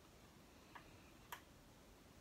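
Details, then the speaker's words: Rebuilt AP Valves XPD rebreather on freshly charged batteries, handset-run self-test checking cells, solenoid, buzzer and temperature stick: two crisp clicks half a second apart as the oxygen solenoid fires cleanly, a small battery drain; normal solenoid clicking. "You can hear the solenoid clicking. Little self-test on the drain on the battery."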